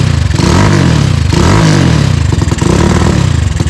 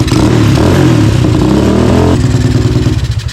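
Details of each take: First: Tao Tao 250 quad with a new replacement engine, puffing black smoke: throttle blips break into rapid uneven popping sputter, about four beats a second, then fades and stalls; poor response, owner unsure if rich, considers carb mixture adjustment. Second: Tao Tao ATV with a newly installed 250cc engine, after tuning, aftermarket exhaust: crisp rev falling to a light popping burble with no backfires; runs well, the burble blamed on the exhaust and a suspected loose exhaust leak.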